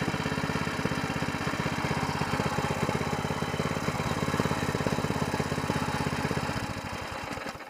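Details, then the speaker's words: New single-cylinder mud motor (SPS Longtail) on break-in 10W30 oil, run to empty the carburetor of fuel. Even putter holds steady, then fades and stumbles as the carburetor runs dry; normal running. "all right I'm going to try to fire it up again here I'm going to run all the fuel out of the carburetor"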